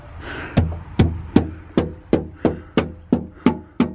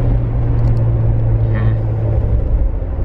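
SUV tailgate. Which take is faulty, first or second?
first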